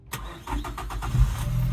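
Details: 1996 Suzuki Every van, after repairs and adding fuel to an empty tank: a few quick cranking pulses, then the engine catches and settles into a steady low idle; a clean, healthy start.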